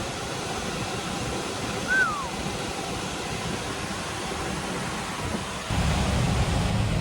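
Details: Liebert HVAC unit in a server room after filter change and belt service: steady, even air rush with low hum, no belt squeal; blower running smoothly, airflow up to about 2094–2179 ft/min from 1106 before.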